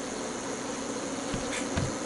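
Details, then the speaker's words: 8000 W pure sine inverter on a 48 V lithium battery, pushed with a heater load (about 62 A, output sagging to 109 V). Steady high internal buzz with brief crackles that stops when the heater is switched off. "is sounding off inside the inverter. Yeah, so something's sounding wrong."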